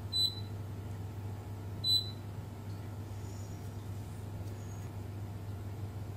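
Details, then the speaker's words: Beko WMB71033S front-load washer control board (no display, clicking): two short high continuity beeps over faint hum on the VCC rail near two capacitors, showing a short to ground, traced to the ATmega64A microcontroller. "hai tụ điện này vẫn có vấn đề gì đó chúng tôi bị đoản mạch trên đường dây nguồn DC"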